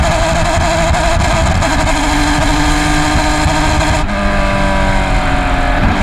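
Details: 2020 PCA TRAC race car at Road America during race 1 under hard load; loud engine with rough uneven note and stumbling pulses instead of a clean pull; bad misfire.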